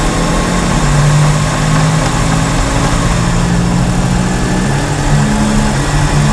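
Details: Front wheel bearing while driving: constant low droning growl under the running noise, the sound of a badly worn front wheel bearing.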